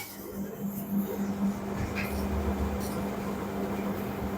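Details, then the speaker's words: LG commercial dryer after replacing the damaged drum roller wheel, running a 10-minute high-temperature cycle: steady low hum and even tumble with no knocking, scraping or squeal; the drum runs smoothly with no abnormal noise, normal operation. "no any noise no any abnormal noise our job already completed"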